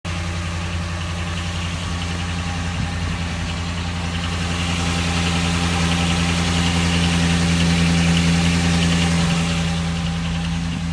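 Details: 2012 Dodge Ram 1500 4.7 V8 with 59,000 km, still under warranty, at idle: a steady low rumble with a faint, regular knock of three to four beats a second; source unknown.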